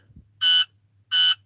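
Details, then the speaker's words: Dump truck with a no-start fault (owner suspects a signal or ground wire): two sharp high beeps about three-quarters of a second apart on key-on, the normal warning, before relays only click and engine doesn't crank. "let's turn her on she does this whole thing it should start beeping"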